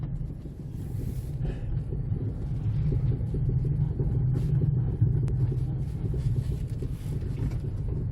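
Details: 2007 Jeep Compass out of storage, on the road after fitting smaller rims: deep, steady droning hum under road rumble that holds with road speed, not the brakes; worn wheel bearings.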